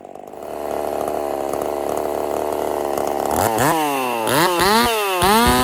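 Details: Husqvarna 50 Partner 5000 hybrid race chainsaw on its first cuts after a rebuild with a machined piston taper, in wood too big for the bar; steady buzzing idle, then sharp revving that swoops and bogs as it bites. Normal running under load.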